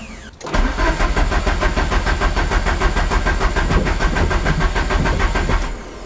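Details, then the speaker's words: Peugeot 205 GTI just after refitting the starter: even starter cranking for about five seconds, never firing. Crank, no start. "déjà le moteur tourne c'est déjà une bonne chose maintenant toujours garde pourquoi elle démarre pas ça c'est vraiment bizarre"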